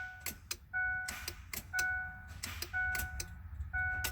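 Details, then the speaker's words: 2007 Ford F-150 5.4 3V, sudden no-crank, heard at the passenger kick-panel relay box: single sharp starter relay click with each key turn and no cranking; owner suspects a failed starter solenoid. "i'm not sure if you can hear it on the video but you can hear the starter relay inside that box click each time i hit the key"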